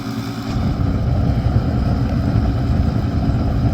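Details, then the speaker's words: Master radiant heater running on kerosene: steady, low, rough rumble with no clear knock or whine; kicks on, runs a second and shuts off as if flame not detected; owner unsure if the pump or something else; cause undetermined. "there's something wrong with it the zo in [Music] here I don't know if it's the pump or what it is"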